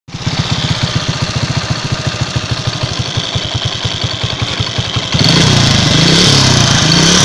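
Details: Engine knock: a steady, sharp tapping of about ten beats a second rides on the idle, then the engine revs up; the source of the knock is unclear.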